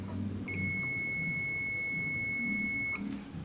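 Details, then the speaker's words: Microwave magnetron filament terminals measured with multimeter on continuity: steady high beep for about two and a half seconds, reading zero; magnetron filament continuity good. "0 vamos a medir igual al del microondas 0 igual quiere decir que está bien"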